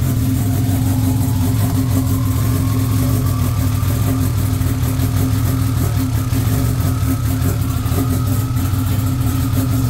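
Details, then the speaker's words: Honda with S2 engine on Haltech ECU after fitting a 13-magnet cam trigger kit; after ECU reset and cranking, a steady, even low idle rumble with no misses or knocks; ignition timing checked dead on, locked at 20. "And we're dead on. It was idling at 20 is where it's locked at."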